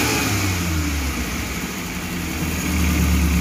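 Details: Futura 1.5 (1500 cc) car after the spark plugs proved the only cause of stumble and shake: even idle near 900 rpm, then quick blips climbing promptly and dropping back cleanly, no stumble or lag; normal snap acceleration.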